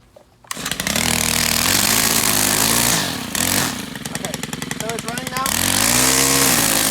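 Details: Stihl gas-powered two-stroke string trimmer, restarted after it first started and died: a raspy buzz that rises and dips as the throttle moves, catching cleanly and staying lit. The trimmer runs normally.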